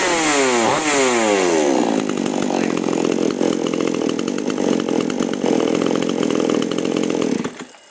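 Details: Chainsaw (model 5002/5018 type, carburetor with H and L screws) after carb tuning: winds up then holds a strong steady buzz while cutting wood, no bogging or surging; carb set right.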